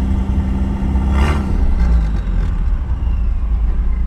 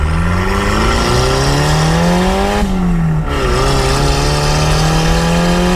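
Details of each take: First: Miata with a budget turbo kit, idle just dialed lower; deep steady rumble with even beat and no stumbling or hunting; normal smooth idle. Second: 1.6 L Miata with budget K03 turbo kit: idle around 2500 rpm being wound down stepwise toward stalling, steady hum dropping in pitch; idle was set too high, lowering it makes the car quieter.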